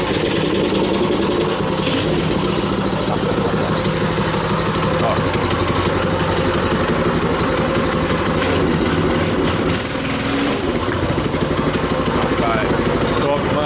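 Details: 200cc single-cylinder stationary engine with its original carburettor replaced, fitted to a homemade bike with 26-inch and 20-inch wheels: holds a loud, even idle without hunting or stalling; the carburettor is feeding it properly.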